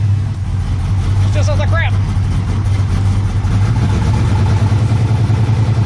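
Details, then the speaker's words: Turbo LS with carburetor, new coil, coil pack harness and crank trigger fitted; idles fine but falters under load: lumpy idle with a regular dead beat, one cylinder missing under a loud low drone; cause unconfirmed, engine removal considered. "Still missing. Still got a dead hole."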